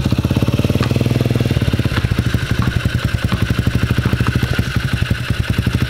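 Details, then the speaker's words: Polini 110 pit bike from junkyard, sat for years, first start on a fresh spark plug, cold: single-cylinder popping along with steady, even, slightly lumpy beat, some smoke; running cleanly; normal running. "i saw some smoke did yo it's running though"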